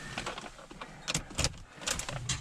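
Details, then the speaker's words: Jaguar with a completely dead battery, left sitting, key turned before connecting jump pack. Only a few sharp starter clicks, no cranking or firing: dead battery, starter click only. "Nothing, just a click of the starter."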